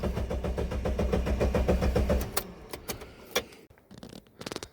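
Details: 1999 Mitsubishi Pajero iO/Pinin, fuel pump not heard priming: steady starter churn at about four compressions a second for two seconds, never catches, then stops; no fuel getting through, high-pressure fuel pump failed.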